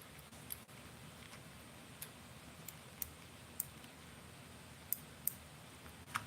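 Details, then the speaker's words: BFS baitcasting reel drag clicker sounding muffled: only a few faint, uneven ticks barely above room hush. The clicks are there but far too quiet, inaudible out on the water; owner suspects something needs bending or tweaking. "this one just has a, they're there, but they're so freaking quiet. Not good."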